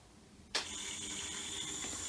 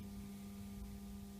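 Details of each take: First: WDH-101P dehumidifier, about 15 years old, fan had been stuck; after removing screws the fan spins freely: sudden start into a smooth, even, high airy whir with no scraping or ticking; normal fan running. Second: Dehumidifier WDH-101P, about 15 years old: steady electrical hum with no moving air, fan not turning; fan motor seized after long time without lubrication, to be repaired.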